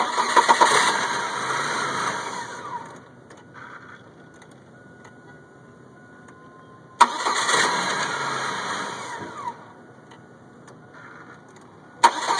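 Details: 1998 Chevy Cavalier that only starts in hot weather when the sun is out. The starter whirs a couple of seconds, stops, then cranks again; the engine spins over but never catches, cause unknown.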